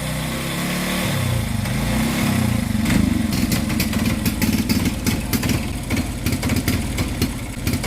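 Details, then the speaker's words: AKT Flex 125 motorcycle: engine chugs unevenly and bogs, won't rev under throttle, sounding fuel-starved; carburetor already tuned and valves checked fine, losing power on hills. "Vamos a encender la motocicleta para que miren cómo se ahoga y no responde, no se deja acelerar."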